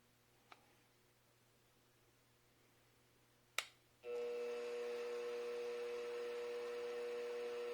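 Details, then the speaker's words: Mini mill just upgraded with a Little Machine Shop belt drive kit, running in low gear: click, then steady quiet hum with a faint whine, no gear grinding or clunking; normal running. "Man, that's quiet. I can barely hear it. We're in low gear right now. That is so much quieter. No more of that gear grinding, clunking, clacking."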